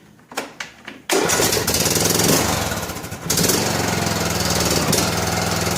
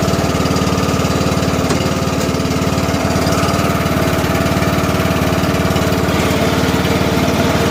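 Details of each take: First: John Deere LA105 riding mower after tune-up with new oil, air filter and spark plug: a few cranking pulses, then it catches on choke, sags and climbs back up over a couple of seconds; cold-start surging that goes away when warm. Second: About 2010 John Deere LA105, 19.5 hp Briggs & Stratton, 42-inch deck, no air filter fitted, just choked, in second gear: even, steady single-cylinder drone with no misses, running smoothly.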